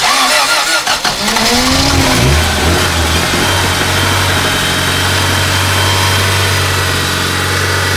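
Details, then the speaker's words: Toyota Celica after a no-spark repair, flooded engine, weak battery: cranks and catches, then settles into an uneven, lumpy idle with a faltering beat; misfiring on severely fouled spark plugs, rpm then held up to clean them. "What we have is some severely fouled spark plugs."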